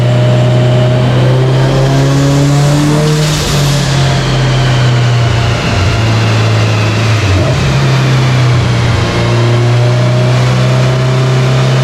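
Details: Subaru Forester STI with stock longblock, Precision 6870 rotated turbo and new coil packs, warm dyno pull: pulls hard but the note stumbles and drops out in brief gaps while AFR goes lean; breakup, cause not yet found.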